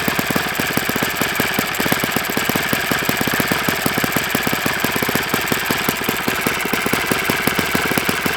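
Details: Enya 46-4C small four-stroke model engine on a bench test stand with a 12.7 prop, fast even popping with a dry metallic rattle underneath; owner says it needs new bearings, suspected worn crank bearings, not confirmed.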